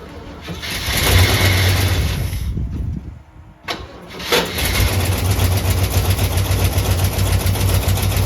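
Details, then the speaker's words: Jeep with AMC 327 V8, about 30°F outside, just started, after exhaust manifold gasket replacement: steady low idle with no exhaust-leak ticking or puffing; now quiet enough that an engine knock is audible. "It's definitely quiet. You can hear it now. It's way, way quieter."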